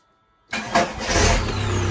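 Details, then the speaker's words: Diesel starting after reassembly with a new, cheap internet-bought starter: a short, brisk crank before the engine catches and settles into a steady clatter. The starter spins quickly and strongly; a normal start. "Ça démarre, nickel. Ce coup-là, le démarreur lance bien. Il lance vite."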